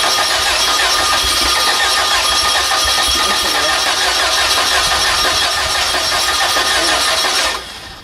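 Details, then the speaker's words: VW engine on gasoline vapor: roughly three uneven cranking beats per second, weak ragged firing, never catches, then cuts out; vapor intake valve unsealed, leaking air. "It fired off something. Yeah. It's fired. Trying to fire. Oh yeah. Oh, we didn't have the toilet valve sealed."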